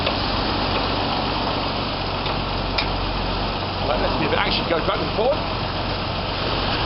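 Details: 1995-96 Jeep Cherokee XJ 4.0 petrol (UK Limited), first start after the immobiliser and alarm bypass: steady, low, even idle hum with no misses, knocks or surging; idling normally.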